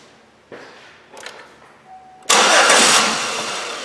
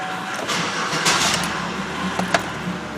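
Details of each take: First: Chevrolet Impala (about 2011), towed in, crank no start, fuel pressure gauge fitted: two bursts of steady cranking that never catch; low fuel pressure (around 5 psi), fuel pump suspected, relay checked next. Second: Chevrolet Impala towed in as crank no start, after new fuel pump installed: cranks briefly, fires and settles into steady even running; normal start after repair.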